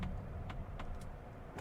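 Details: 2025 Mazda CX-70 plug-in hybrid driving, HVAC off, no rear baby seat: faint irregular light ticks every half second over low road rumble; odd interior rattle from the cabin.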